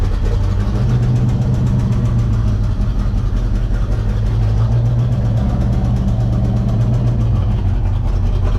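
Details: Corvette started after installing a Hypertech chip: loud, uneven, lumpy idle, rough running because a component was left disconnected after the ECM chip install.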